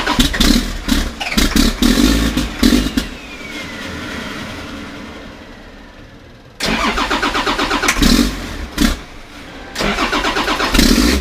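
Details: 1991 Ford F350 with CAT 3126 diesel swap, before oil pump replacement: repeated cranking bursts about three turns a second, stopping and restarting without catching; hard start traced to failing oil pump.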